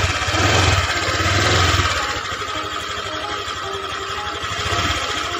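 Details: Honda Vario 125 injection scooter, radiator coolant spraying out when hot, after cylinder head surface lapped and reassembled: single-cylinder idle holds an even steady beat with no knocking or ticking; normal idle.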